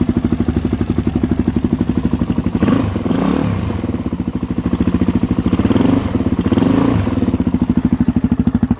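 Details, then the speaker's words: 2013 Suzuki DRZ400SM first start after refilling fluids: steady thumping single-cylinder idle with a light metallic clatter on every beat; owner thinks the cam chain needs adjusting, unsure if too tight; engine rattle at idle. "I have to adjust my cam chain. I don't know if I have it too tight, but I still hear it rattling."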